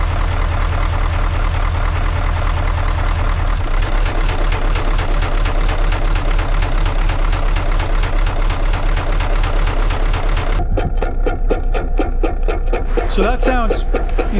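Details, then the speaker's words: Boat heavy diesel, in gear after injectors were replaced, thumps unevenly at about two beats a second with lumpy firing; runs rough, sounds the same as before the injector job; owner suspects a head gasket, unconfirmed. "here's a clip of it when i click it into gear i mean it's not good"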